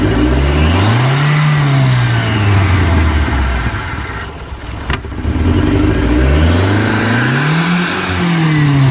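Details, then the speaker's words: 1989 Shelby Daytona turbo, possibly swapped engine, started after sitting nearly 14 years on old gas: engine screams to high revs and surges without returning to idle; something sticking holds throttle open, cause unconfirmed. "so yeah something's something's sticking on it letting it go it sounds like Full Throttle it's scaring me because I don't want to blow it up"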